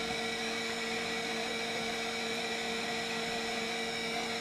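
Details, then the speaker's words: Sony Walkman WM-F69 during restoration, after replacing some surface-mount components with one part still unreplaced: steady mains-type hum and high tonal buzz with a bit of music faintly trying to come through; cause unknown. "If you put the headphones on, you can hear a bit of music trying to come through."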